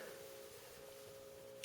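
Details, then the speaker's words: 17-year-old 240 V GE Advantium SCA2000FBB03 microwave, heard through the oven cavity while completely off: a faint steady hum. The damper motor keeps trying to open an already-open damper door; unplugging its red/blue wire plug stops it. "The problem that we're having with this microwave oven is you can hear the motor running even when the oven is completely off."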